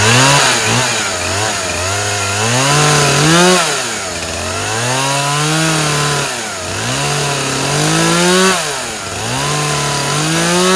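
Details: Poulan Pro 50cc chainsaw with a 20-inch bar, running on a 40:1 fuel mix after the chain tension was adjusted: strong two-stroke revs climb and fall, pulling cleanly back each time; normal running under load, very strong.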